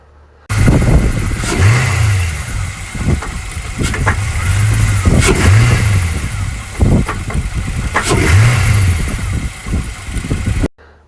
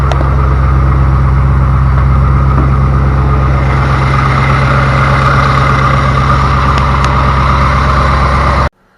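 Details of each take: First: 2000 Chevy Camaro Z28 LS1 V8, automatic: revs then drops to low idle after letting off throttle, sharp knocks most audible at low rpm; owner unsure it is rod knock but concerned; engine knock at low idle. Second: 2000 Chevy Camaro Z28 LS1 V8 with automatic transmission, after new torque converter bolts were installed to cure a knock: steady, smooth deep idle with no knocking until it cuts off; normal idle after the repair.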